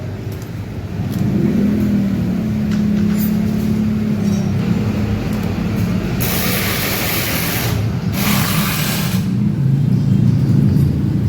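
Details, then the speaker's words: Honda Vario 150 scooter after a break in the fuse box was repaired and the ground cable refitted: brief starter turn, then the engine catches and holds a steady, even idle hum. Normal electric start and idle. "Okay, it's done. And the starter is also okay."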